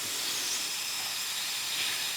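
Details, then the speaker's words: Mitsubishi EVO with idle hunting around 2000 rpm after a rebuild; a homemade boost leak tester is bolted to the turbo with the turbo-intercooler-cold-side piping sealed. Engine is off; a steady, high, airy hiss shows air escaping, a boost leak. "homemade boost leak tester is bolted to the turbo and then I have blocked off this one here with this Plumbing plastic block off pipe thing so now we have a sealed system from the turbo through the intercooler and back up to the cold side piping here so at least we can test this"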